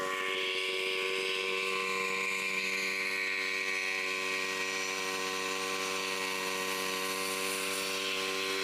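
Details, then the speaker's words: Salvaged scrap-shop water pump head driven by a bike engine, first test run: steady high droning buzz with a constant whine and little low rumble. Loud running noise; a small leak at the air valve, and the stationary engine overheats without airflow. "இருந்து பயங்கர sound வருதுங்க. அதனாலதான் ரன்னிங்ல இருக்கும் போது என்னால பேச முடியல."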